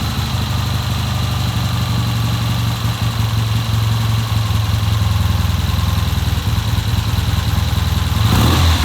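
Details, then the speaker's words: 1970 Triumph motorcycle with hard starting, first run on a newly fitted Premier carburettor. Steady, even low idle with a smooth regular pulse and a brief throttle blip at the end: normal idle. "Okay, that sounds pretty good. I'm gonna leave it like that, and I'm gonna let it sit here for a while."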